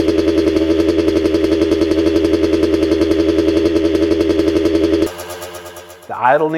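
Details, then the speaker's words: 1985 Kawasaki KX125 two-stroke, just restored and rebuilt, cylinder and rings heavily oiled during build: crisp, even buzz with idle hanging too high, needing to come down, then shuts off; otherwise sounds good. "to come down a bit but this sounds really good overall"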